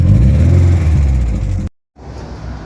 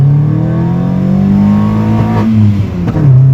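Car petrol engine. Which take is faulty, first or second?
first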